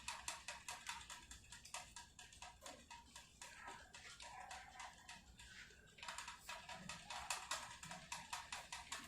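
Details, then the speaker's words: 2018 Specialized Venge at 20,000 miles during overhaul: sharp, dry clicks tick steadily as the drivetrain spins, from chain rubbing the not-yet-adjusted front derailleur; cable not fully seated, so tension incomplete. "there it is and that clicking you can hear is from the front derailleur i haven't actually adjusted it yet so that's why it's making that noise"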